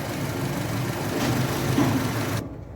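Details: 2010 Honda Civic automatic petrol engine idling smoothly with a steady, even hum and no stumble, after replacing the faulty number 4 ignition coil that set code P0351. No errors now.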